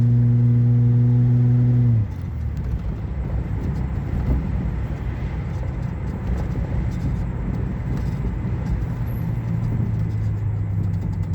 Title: Weird tapping sound in engine